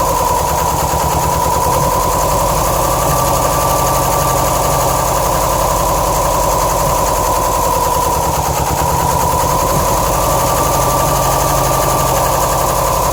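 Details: 2007 Subaru STI at idle: idle lopes unevenly with irregular low stumble under a constant whine; passenger-side AVCS oil screen probably blocked by a shredded check screw, starving cylinders 1 and 3 of oil; rough idle persists.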